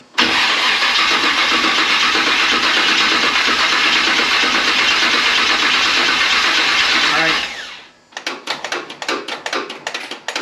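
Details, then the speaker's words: Model A rat rod after TH400 transmission rebuild and install, cranking for about seven seconds without catching; owner suspects the fuel system ran dry and needs time to get gas back up; crank no start. "Yeah, it's probably going to take a little bit to get some gas back up there. Cuz she sounds dry."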